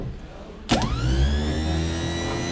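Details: Car after repair of a faulty pre-glow relay and a tired starter: short crank, engine catches quickly and settles into an even, steady idle with no stumble; normal start and idle.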